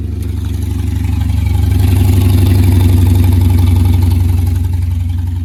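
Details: 1982 Mercury Capri small-block Ford with a new air-gap intake, distributor reinstalled after the engine had been out of time, maybe a tooth or two; even loping V8 idle, about four pulses a second, no stumble or carburetor puttering.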